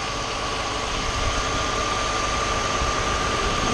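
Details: 2009 Nissan Murano at idle after repair of a major power steering leak (high-pressure hose and washer replaced, system bled, no leaks): steady even idle with a faint constant steering pump whine, no groan or squeal; steering system running normally.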